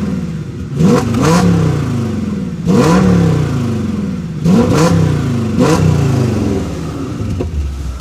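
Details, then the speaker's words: Audi S8 after intake manifold rebuild, stationary: four crisp throttle blips, pitch climbing cleanly and falling back to a steady idle without stumble or rattle; normal, healthy revving. "mais en tout cas ça tourne vachement bien regardez tourne très bien regardez les gars ça tourne bien écoutez le"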